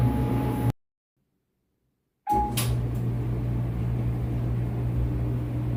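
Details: Whirlpool WED92HEFC2 dryer after replacing belt and drum rollers, motor previously loud and suspected near end of life, now fully reassembled: after a brief gap settles into low even hum, no buzz or rattle; very quiet and smooth, normal running.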